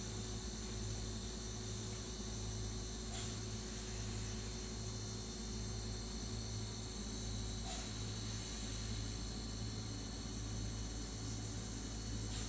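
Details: New Sears Kenmore model 51833 refrigerator: steady low hum with faint higher whining tones, no knock or rattle; compressor noisier than expected, owner suspects model's noisy compressor; audio normalized then reduced to quarter volume.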